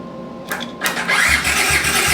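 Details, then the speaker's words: 1982 Honda CX500 Turbo motorcycle that sat 25 years, starter just reinstalled, cranked on a jump box that may not be fully charged: starter engages cleanly and turns the engine over with steady, even compression beats; normal starter cranking. "here start is working we charge this box and we'll be good"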